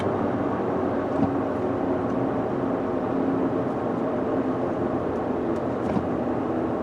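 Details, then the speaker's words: 2014 Ford F150 driving at 60–70 mph, recorded in cabin: steady low drone under road noise, rising with vehicle speed not engine speed, easily mistaken for tire noise; diagnosed as a bad front left wheel bearing. "Yeah, I'm definitely calling that a wheel bearing. It sounds like a front left wheel bearing. It's kind of a droning noise that just kind of carries on with vehicle speed, not engine speed."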